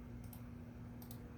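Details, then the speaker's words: Sears/Lasko Turn of the Century 52-inch ceiling fan, model 453-115500, on an SCR-based solid-state speed control at about half power: mild, steady low motor hum under the fan with a few light clicks. Not terribly loud. Speed-control motor hum. "I can hear a little bit of hum from it already, but not terribly."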